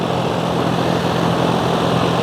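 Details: Home AC condenser after a new contactor was fitted to cure a loud buzzing noise, on its retest: steady fan whoosh and an even low motor hum with no buzzing or chatter. Normal running.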